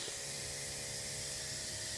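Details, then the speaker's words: 1990 Volvo 760 turbo, engine off, boost leak test with PVC cap and compressed air at the turbo-to-intercooler pipe: steady sharp hiss of escaping air; leak suspected partly at the loose idle air control valve hose. "anyway as you can hear that hissing sound I've got a boost weak"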